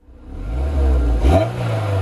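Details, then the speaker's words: Honda S2000 project car, oil level checked, then a quick rev blip. The exhaust turns harsh and raspy at the top and sounds not right. The owner hoped for a sound like with the catalyst fitted and is disappointed. "sounded a little bit disappointed with the noise to be honest with you from the exhaust a little bit raspy a little bit i don't know just at the top it just sounded a bit not right"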